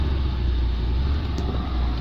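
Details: 2015 Hyundai Veloster 1.6 turbo G4FJ with 7-speed automatic, 135,472 km, front-end damaged wreck, just after push-button start: a smooth, even, low rumble with no knocks or ticks; a healthy idle.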